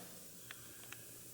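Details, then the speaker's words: Shop hot-water heating radiator fed by outdoor wood boiler, not bled after work, radiator cold while feed line hot: faint hiss and spits from bleeder, then sudden louder spray as trapped air clears and hot water arrives. "i never thought it was cooling off last night but this i just figured it was below zero outside this morning was apparent man that thing must have been full air it was completely cold this morning and the feed line was hot"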